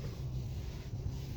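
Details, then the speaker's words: 2020 Hyundai Sonata after replacing steering column bearing (kit 56359 L1AAAFFF) to fix steering wheel rubbing: only low even road and engine hum as the wheel turns, no rubbing or scraping. Noise gone, normal steering. "Noise is gone."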